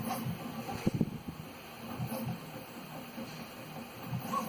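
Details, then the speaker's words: Prusa 3D printer printing in normal mode after fixing a bearing-like rattle, caused by the extruder fan rather than the X-axis rods, with the stock fan refitted: very quiet hum, faint soft ticks, no rattle. "no more rattling it's quiet i barely hear it from my uh over here my desk it doesn't do any more of that i'm so happy i found it"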